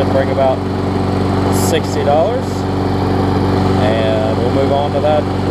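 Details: Bolens mulching mower after a full tune-up, new air filter, blade sharpening, pull-cable clamp fix and new carburetor diaphragm; steady, even drone without surging, sputtering or rattles, running smooth.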